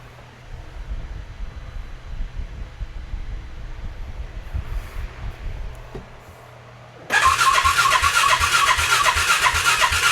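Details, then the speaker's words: Polaris Ranger 570 farm UTV, rebuilt with a new fuel injector and spark plug, first crank after the rebuild: the starter spins it over evenly at about two and a half beats a second but it never catches; no fuel yet, it starts after priming. "It ain't got no gas in it."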